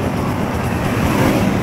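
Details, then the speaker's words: Barako 175 single-cylinder motorcycle after timing chain tensioner reset: steady low even putter with no top-end clatter or ticking; quiet now; if noise returns soon the tensioner must be replaced; normal idle. "Yan o, diba? Tahimik na mga idol o. Yan o, diba?"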